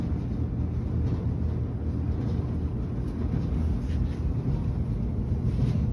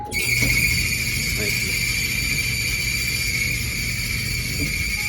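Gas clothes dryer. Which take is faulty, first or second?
second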